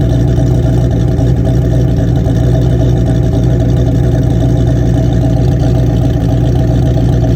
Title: 1987 ford mustang making noise 347stroker kit and brand new engine rebuild by M.C.R.P